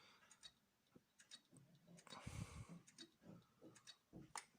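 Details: Hard drive fitted in a Toshiba C875 laptop: faint, uneven ticking and clicking while the drive barely spins up and will hardly start. Judged dead; failing drive suspected.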